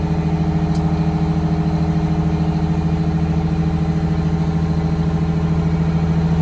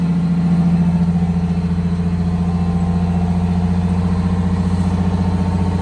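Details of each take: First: 1962 GM bus conversion with Detroit Diesel 6V92TA, cruise used as fast idle while airing up: steady even raised idle, faint turbo whistle rising; healthy, during air throttle slow-return repair. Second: 1962 GM bus conversion with a Detroit Diesel 6V92TA and Williams air throttle and actuator. Held at cruise/fast idle with a steady drone and faint turbo hiss, revs come back down slowly. Slow throttle return to idle.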